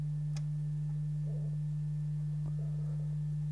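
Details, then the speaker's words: Restored 1965 Garrard SP25 Mk1 turntable, platter turning at 33 rpm: constant low 50 Hz mains hum, suspected earth loop from newly earthed mains lead, earthing to the amp planned. "Okay, so there's mains hum for a start. I don't know if you can hear that. It's there you go, you can probably hear 50 Hertz mains hum."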